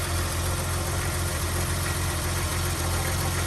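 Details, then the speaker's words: 1982 BMW E21 320 two-door automatic, very low mileage, six-cylinder idling, bonnet open, walking around the car: low, smooth, even idle, no ticking or knocking, doing what it's supposed to; normal healthy idle. "E21 6-cylinder. Very smooth. Not making any funny noises."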